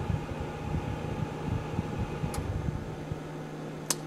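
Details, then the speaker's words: Geneva four-element infrared quartz space heater, switched to cool-down via remote after full warm-up: steady low fan hum with sharp clicks as the elements turn off, then the fan keeps running smoothly; normal. "it is pretty cool how after um after you hit it you hear that extra click and that's the elements turning off"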